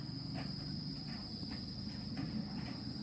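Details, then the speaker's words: Yongma digital rice cooker powered on but won't cook, with a thin steady whine and cricket-like chirps about twice a second from the control board; suspected voltage drop in the power supply, not confirmed. "Unit sudah menyala, terdengar desis ya, terdengar desis ngerik kayak jangkrik,"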